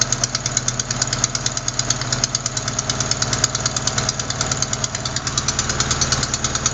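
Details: Sharp, fast ticking about three per second over steady idle, following engine speed; not lifters or rocker adjusters but a leaking exhaust manifold gasket at cylinder 4, which replacing the gasket should fix.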